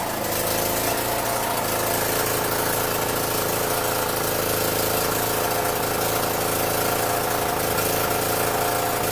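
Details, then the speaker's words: Free Champion generator after reassembly, muffler and governor adjustment; holds steady governed speed, putting out 110 and 220 V, but drone has a faint uneven stumble, possibly needing carburetor adjustment — slight stumble at governed speed. "the carburetor sounds okay it sounds like it's got a little stumble but at least it's running off of it"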